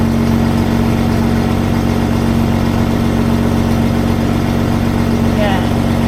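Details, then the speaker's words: Rover P4 at idle on the old exhaust before fitting the new steel one (old silencer joint had been blowing): steady, even idle with deep exhaust note and slight hollow drone, no puffing or ticking from joints. "well I'm sure you want to hear what the exhaust sounds like before I uh remove it and fit the new one so I'll go and start up"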